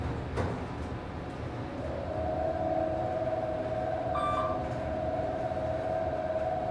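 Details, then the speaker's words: 1980s Dover Traditional traction passenger elevator (2500 lb, 200 fpm, 9 floors), hoist motor heard from inside the car: strained whine climbs as the car starts, then holds loud and steady over a low rumble; motor sounds horrible, cause unknown. "That motor sounds horrible."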